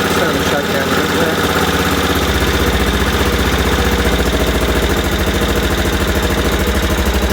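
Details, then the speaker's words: Aprilia Pegaso Cube idling after a stone-cold start with a little choke, after a new battery and cleaned carbs: even thump that settles into a regular beat with no misses or knocks; normal idle. "So electrically everything works, and mechanically everything works. And I don't think it sounds too bad actually. Sounds a sweet little thing actually."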